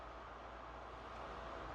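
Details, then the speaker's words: PS5 after cooling upgrades, fan speed dial raised above stock: steady airy whoosh growing slightly louder, no rattle or bearing grind; healthy fan at high speed. "there is a difference as well that is faster than stock let's go again you can hear it"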